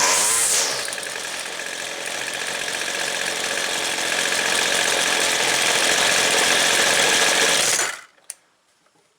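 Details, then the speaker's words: Weed Eater two-stroke trimmer, air filter off, after opening the low-speed jet another eighth turn to cure an off-idle stall: bright even buzz, steady without stumbling or stalling; carburettor mixture and idle now good. "think that's good right there it took care of the stall an eighth of a turn took care of the stall from from idle up off idle to high speed still idle's good"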